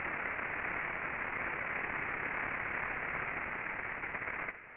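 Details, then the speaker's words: Ultrasound listen (SDT LubExpert) on a rolling bearing after greasing: the loud friction hiss drops off sharply, the ultrasound level falls, and only a clean background noise remains. A properly lubricated normal bearing. "Et le bruit est un beau bruit, un bruit du fond. C'est ça que c'est supposé être normalement."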